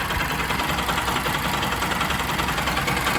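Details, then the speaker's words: Bajaj Pulsar RS200/NS200/AS200 single, warm, idling in neutral with exhaust blocked: light quick metallic ticking, timing chain noise appearing after warm-up and slightly increased, stretched timing chain. "यह जो guys sound है यह है timing chain का। ठीक है? अब यह जो साउंड आ रहा है टाइमिंग चेन का यह आ रहा है अपनी गाड़ी गर्म होने के बाद में। और यह थोड़ा सा बढ़ चुका है।"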